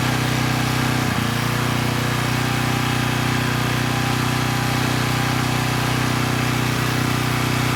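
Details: Coleman Powermate Pulse 1850 generator, 1996 engine, after repair and governor speed reset to about 62 Hz, under a space heater slightly exceeding its 1500 W rating: steady, even drone, no hunting or surging, holding 114 V; normal running under load.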